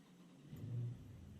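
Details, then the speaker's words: 2020 Dodge Challenger 1320 fitted with new XS Power XV4800 12V lithium battery, restart during stop-start testing: short crank catches quickly, brief rev, settles to steady idle; started no problem, battery voltage 13.7–13.8 V. "Started, no problem. Battery voltage 13.7, 13.8."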